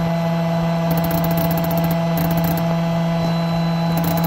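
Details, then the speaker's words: Shark Steam & Scrub steam mop that would not steam: loud mains buzz with uneven rattling as the spring-loaded valve plunger chatters instead of pulling in cleanly; solenoid valve chattering, possibly installed backwards (suspected), steaming after being swapped around. "g State so uh the only thing that only problem was that this thing was vibrating so I wasn't able to get to test it properly"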